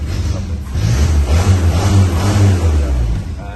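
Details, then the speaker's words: 1949 Ford Anglia sidevalve idling cold on choke with a steady low, even burble, no knocks or misses; engine sounds sweet. "Yeah, an oil gauge on there, which I can't read, but I don't need the oil gauge to tell me that the engine's sweet."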